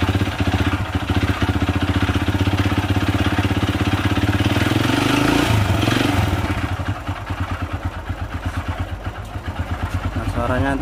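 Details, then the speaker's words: Honda Supra Fit New motorcycle engine idling very rough, a stony clatter pulsing about four times a second, like stones inside; teardown traced it to a worn connecting rod and piston. "kasar seperti ada batunya di dalam itu ya apa saja yang perlu kita ganti"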